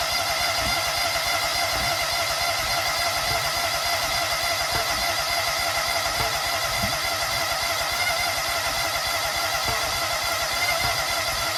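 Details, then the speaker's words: Toro Z-Master with Kohler EFI: steady cranking at about 3.5 per second under a loud whir, never catching. Fuel pump runs and spark is now present; owner suspects injectors clogged by black fibers, or possibly valves not opening. Cranks but will not start. "Well, I think we're getting spark now. Yeah. So, I think the fuel injectors are clogged. We're now getting spark. It wants to start."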